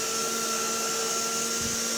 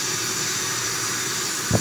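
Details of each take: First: 1960 Electrolux Automatic Model G vacuum started after not running for a while; steady even motor whine with airy hiss, but little suction, owner thinks the bag is full: weak suction, cause unconfirmed. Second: 1960 Electrolux Automatic Model G vacuum with power nozzle, run after over a month unused; smooth steady airy motor hiss at even pitch, one brief handling bump: runs great, normal running.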